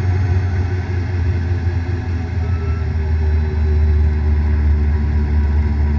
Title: Bad Bearing